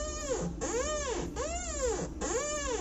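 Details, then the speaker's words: Chigo refrigerator door: a rhythmic squeak about once a second as the door swings, from a rusted hinge. Fix is removing the door, derusting the hinge with pliers and adding oil. "它就是这里啊生锈了之后，这里就容易出现这种声音。"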